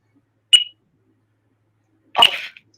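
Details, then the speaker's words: RC plane setup (Spektrum radio mentioned), powering on the receiver: two short high electronic chirps about 1.5 seconds apart, the normal gyro-initialized tones. "Gyro initialized. Off. It's not on. Gyro initialized."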